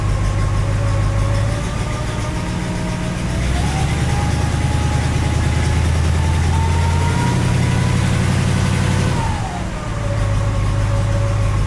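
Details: 1967 Cadillac DeVille 429 V8 cold idle: fast irregular tick riding on the rumble, rising and settling with revs; new strange cold-start noise that seems to go away once warm, cause unknown.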